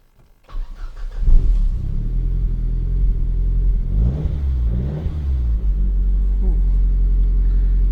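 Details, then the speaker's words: Car at 79,699 miles, push-button start, stationary (rev counter didn't work at first, then fine): cranks briefly, catches cleanly, settles to steady idle with a couple of smooth throttle blips; normal start and revving. "Okay, so sit here with the engine running. Sounds good, doesn't it?"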